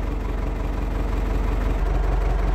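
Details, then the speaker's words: Ford 6610 Force II diesel tractor at about 9 °C, after fitting a geared high-torque starter to replace the one with a failed solenoid: cranks readily and settles into an even, low diesel idle with a steady beat, no misses or knocks; normal idle. "It's a joy sitting into this thing and know that it's going to crank over and just fire it up."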